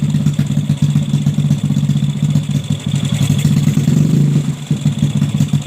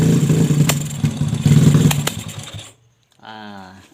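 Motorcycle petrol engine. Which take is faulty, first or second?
second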